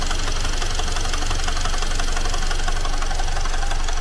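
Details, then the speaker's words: Great Wall car engine idling right after a teardown repair: hard, regular knocking of about three per second, a tractor-like clatter absent before the repair. Oil was added; the engine is reopened and the source is not yet found. "着着都正常，都稳着呢，克拉克拉的。你这咋修成拖拉机了呢？"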